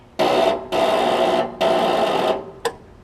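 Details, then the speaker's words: Troy Bilt Pony riding mower that won't start: three half-second buzzes then a click from the solenoid, mounted far back, and the engine never turns over. The cause was a loose starter solenoid connection and a weak battery; starter not cranking. "You can hear the solenoid in the back, right?"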